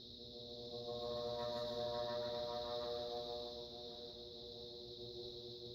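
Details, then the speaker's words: 56-inch Airmaster ceiling fan on a Fanimation three-speed control at low speed in cold air; a low droning hum rises a couple of seconds then eases, the fan seeming to slow when it does. Owner wonders if the capacitor is failing. "As you can see, it's got a nice steady low speed. When it makes that noise, it seems like it slows down a bit."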